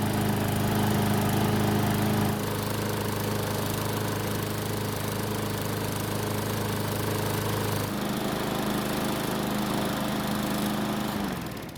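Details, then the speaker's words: Garden Line lawn mower that would not start, after about three minutes of running, near normal temperature: even, steady drone at constant pitch, a small step down partway, then a clean shutdown; running smoothly. "so it's been running for about 3 minutes which means the engine should be close to normal temperature next we'll see if it'll start back up without any issues"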